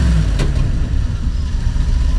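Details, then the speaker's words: Fuel-injected engine just after replacing the fuel sending unit, revved from idle: deep note pulls up and holds smoothly with no stumbling or hesitation, normal revving. "don't know if you can hear that but that sounds like one powerful engine no hesitation"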